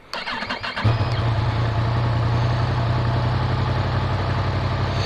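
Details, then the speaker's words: 2017 Yamaha FZ-10 (MT-10) right after an oil and filter change, started to check oil pressure: starter whirrs briefly, then the engine catches into a smooth, steady idle with even exhaust pulses; a healthy start. "Everything's in, everything's on. We're ready to start the bike and make sure we got pressure."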